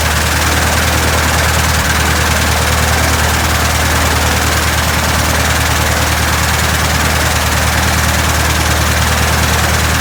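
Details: 1967 Citabria restoration, first start: loud, steady idle with an even beat of about three pulses a second, no misses or knocks; normal idle.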